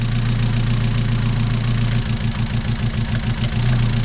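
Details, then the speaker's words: Mazda MX-5 at idle after a new coil pack (old one likely dead) fixed the misfire: a steady idle with only slight unevenness and no stumbling. It is very drivable now, and injector cleaning might still help. "That's a very apparent difference there now. Very drivable at this point, but I do think it would benefit from getting the injectors cleaned up on that as well."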